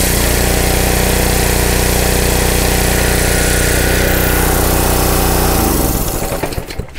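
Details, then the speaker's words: Honda GC160 5 hp pressure washer engine, after carburetor cleaning to cure surging (filter and spark plug already replaced): small single-cylinder runs with an even, steady beat and no hunting or surging; normal steady run. "okay there you have it so if you have a pressure washer that is surging and it clears up when you put a little bit of choke on there this should be your fix clean the carburetor"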